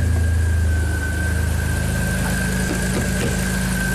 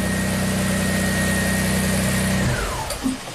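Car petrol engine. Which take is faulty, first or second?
second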